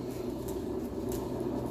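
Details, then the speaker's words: Massey Ferguson 35 rear differential turned during rebuild after reshimming (22 thou shim swapped for 12 thou); smooth, even low hum with no knocks or rubbing; diff turns freely, normal. "You can hear the diff turning away there."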